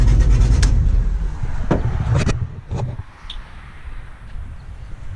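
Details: 1991 Camaro Z28 with 5.3 LS swap, TSP cam, Holley Sniper EFI, mufflers deleted for 3-inch straight dump before the rear axle: deep, loud, lumpy V8 idle with choppy cam lope and a few sharp pops; running fine.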